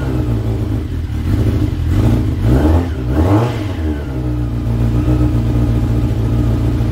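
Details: Motorbike after a couple of hours on a battery charger: starts, settles to even idle, clean smooth blips without clatter or hesitation; normal start and rev, runs healthy.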